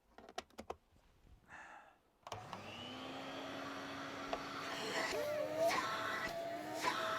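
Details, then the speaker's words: Vintage Electrolux Z302 cylinder vacuum, refurbished and polished, with a new plug fitted; after some handling noise the motor spins up to a clean, steady, even hum. Normal motor run, sounds really good now. "it shim I love that one that sounds really really good now"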